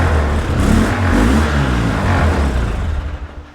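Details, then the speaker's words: Polaris Sportsman 700 engine whose carburetor is suspected to hold lacquer thinner, varnish and deck stain instead of gasoline. Rough, uneven revving bogs and fades out instead of holding revs; the engine is barely running. "And that's all we're going to get cuz like I said, I'm pretty certain this carburetor is full of lacquer thinner varnish and deck stain as opposed to gasoline."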